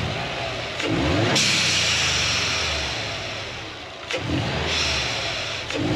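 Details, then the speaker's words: 2008 Subaru Legacy GT with newly installed GFB Respons hybrid blow-off valve: sharp revs then very loud crackling pops as throttle closes; exhaust popping on overrun. "Okay, so I don't know if you guys heard that, but there were some really, really, really loud pops. I mean, at least to me, they're super loud."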